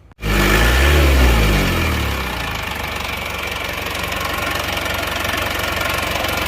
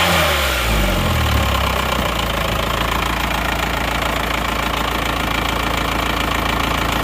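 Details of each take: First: Diesel engine with a previously broken crankshaft, after the injection pump was serviced to standard: harsh clatter knocks at about four per second over the idle; smoother than before but still rough, later fixed by replacing the timing gears with original parts. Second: Diesel with a previously broken crankshaft, now serviced with a replaced rotor head and the pump returned to standard: after a brief rev it settles into a steady, even idle with normal injector clatter, no misses or knocks, and clean exhaust smoke; normal idle.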